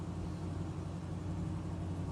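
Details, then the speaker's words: 1973 Nova 350 SS hatchback road test over bumps and swerves, checking for a rear banging: steady low road rumble with no knocks or clanks; exhaust still needs a muffler shop; quiet rear suspension. "yeah still not hearing any clanks I think we might have nailed St"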